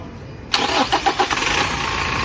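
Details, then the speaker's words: Toyota Innova 2KD diesel during alternator/charging system test, battery light had been on: a few quick cranking beats then immediate start into steady clattery idle; cranking normal at over 11 volts. Normal cranking and start. "The car engine is on. Let's see!!! Cranking result is normal, cranking voltage is 11 volts more."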